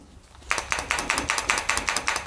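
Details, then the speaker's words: Cheap SKV Germany replacement electric fuel pump for BMW R1150GS after about 4000 km: sharp, even metallic tick about five times a second after a short quiet start, louder than the old original VDO pump; quiet when new. "Jak była nowa, tak nie stukała, a przejechała jakieś 4000 km. Nawet stara jest cichsza."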